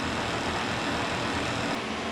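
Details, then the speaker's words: K&T milling machine's first run after its oil system was flushed with kerosene and refilled with oil: quiet, smooth, steady running with no knocking, grinding or whine; much quieter with oil and healthy. "Alright, so with oil in this thing, it sounds so much quieter to me, which makes sense."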